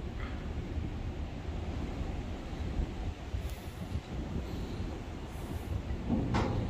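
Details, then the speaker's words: Ship anchor windlass that couldn't heave in at high speed, tested from W1 control vs W2: low continuous mechanical rumble with steady churn, no grinding or stalling; this side runs normally, other control gives nothing. "one is working as you can hear but here nothing nothing is happening"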